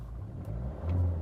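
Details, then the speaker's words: Volvo C30 D2 1.6 diesel (D4162T) after replacing cylinder 2 injector, coding and completing rapid adaption, earlier stuttering: short stretch of low, even engine hum rising slightly with a touch of throttle, no stutter or miss; runs normally again. "oh oh it's it's back to itself cool um car car seems to be good"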